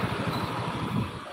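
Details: Honda Beat scooter at idle after replacing the crankshaft bearing only (crank and conrod not replaced): steady, even low putter with no knocking or rumbling; the engine sounds healthy.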